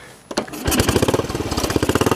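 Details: Royal Enfield single after stripping and cleaning, needle level readjusted, exhaust extension fitted; starts but runs unevenly, coughing and stumbling; revs sometimes hang high, mixture screw very sensitive; owner suspects air leak or something still blocked.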